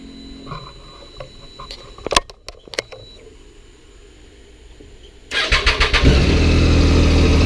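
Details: 2006 Triumph Daytona 675 starting after a no-start traced to the battery: a few quiet clicks, then it catches at once and settles into an even, steady idle; healthy start.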